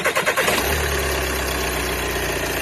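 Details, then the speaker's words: 2013 VW Passat TDI diesel after mistakenly filling with gasoline and driving about 100 feet, fuel system flushed: a few uneven cranking pulses, then fires into smooth steady idle clatter; normal start after fix. "it only cranked for two or three seconds before it burst right up and started right the way it's supposed to start"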